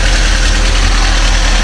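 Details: VW Gol AT 1.0 8v engine just after a rebuild with new main bearings, idling: loud, low, even idle with a steady beat, no knocking or rattle; runs smooth.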